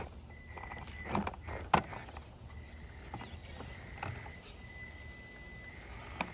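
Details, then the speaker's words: Slightly upgraded TRX-4M Bronco RC crawler on super-soft Endura yellow-insert tyres, slow crawling on a DIY course, which it doesn't do as well: a faint, steady high ESC whine holds under tyre and chassis clicks. Speed controller whine at low throttle. "Now, this one doesn't slow crawl as well. You can kind of hear that ESC whining a little bit."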